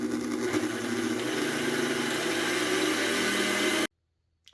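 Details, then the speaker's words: Hobart-made KitchenAid stand mixer, first test run at low speed: coarse, rattling rumble and heavy rear-end vibration from a bad bearing bracket. "this is an indication of there being a bad bearing bracket on the machine and allows for a lot of vibration in the rear end"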